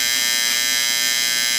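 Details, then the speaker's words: Late-1960s/early-1970s Sankyo Seiki mechanical digital rolling clock. The alarm buzzer does not shut itself off, running as long as it is let. A steady, high-pitched electric buzz without break or fade. The alarm buzzer is sounding. "No, not likely. So this thing will continue to run as long as you let it."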